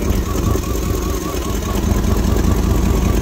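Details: 1999 Dodge Durango SLT, 5.9L Magnum V8, sat 14 years, idling in neutral: rough uneven lumpy stumbling idle; idle misfire, two spark plug wires found eaten off.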